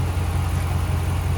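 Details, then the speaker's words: Engine at idle, heard through a stethoscope tube: quick, regular puffing pulses in time with the firing. The cause is a cracked aftermarket exhaust manifold leak, not the lifter tick the customer assumed. "This one has a cracked aftermarket manifold. He assumed, I guess the customer assumed it was a Hemi-Tick, but no, that's manifold. It has an exhaust leak, and I found it."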